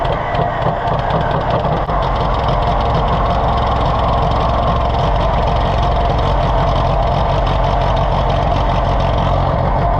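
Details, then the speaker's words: Allis-Chalmers WD tractor (WD45 engine, or the reverse), started with jumper cables: uneven, loping idle with irregular misses, then it quits; carburetor flooding and running over. "man stay off life support it's very much flooding as in other words the carburetor running over"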